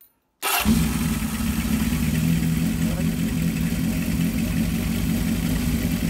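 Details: 1978 Kawasaki KZ650 C four-cylinder, revived after sitting at least 5 years, carbs being synchronized via slide-top screws with air cleaners off and idle set to 2000 rpm: steady even burble at raised fast idle, no misses or knocks; normal idle.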